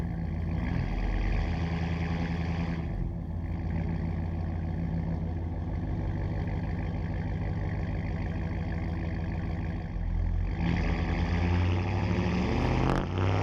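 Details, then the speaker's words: 2009 Dodge Ram 5.7 HEMI V8 replacement engine, just past 500, first start after a Flowmaster Outlaw stainless dual exhaust replaced the Banks Monster system: deep, even V8 burble at idle with two clean throttle blips; strong, healthy, no rattles or leaks. "Yeah, it's a bit more aggressive, but it's deceiving. The Banks exhaust was just loud all the time. The Flowmaster exhaust here is only loud when you're on it."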